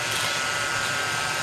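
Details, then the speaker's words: 1934 Bell & Howell Filmo Model 57 projector running in forward with the film drive gears not engaged properly: a harsh, fast buzzing clatter with a thin steady whine over the motor hum. Misengaged gears like this can burn up the film. "what happened here was I didn't have that in the gears right and that's why you got to make sure that the gears are right"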